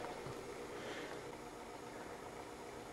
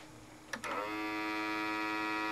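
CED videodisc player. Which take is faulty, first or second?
second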